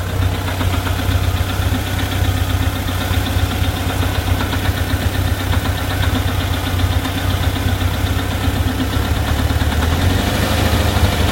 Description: Random knocking sound at idle, only when engine is warm. Sound disappears above idle. Could be loose cam gear, loose hydraulic lifter in engine case bore.